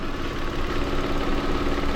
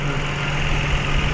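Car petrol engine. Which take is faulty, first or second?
first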